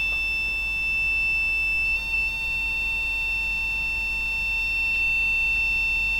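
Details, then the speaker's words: Olympia ESW 100-KSR typewriter terminal with power-supply fault: a steady high beep sounds unbroken at power-up; 5 V and 9 V present, 35 V rail reads only 8.5 V, suspected leakage through driver devices, likely nothing on the 35 V rail. "okay so as you can see the 5 volts is present the 35 volts was showing as 8.5 volts i suspect that is leakage through the driver devices so i suspect there's nothing at all on the 35 volts"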